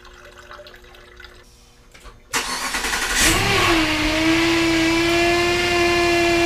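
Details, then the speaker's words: 2008 Jeep Grand Cherokee 5.7L Hemi V8 after radiator replacement: engine fires and a steady loud whine sits over the idle; power steering pump noisy from air bubbles in the line, expected to clear as steering bleeds it. "that loud noises the power steering pump it needs to uh cycle and bleed out all the bubbles that have been in the line so that's why it's so noisy"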